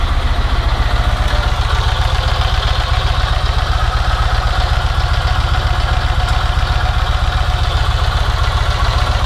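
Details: Yamaha MT-01 V-twin at idle: deep, evenly loping beat of about four pulses a second, with no stray ticks or knocks. The engine noise is normal for this bike.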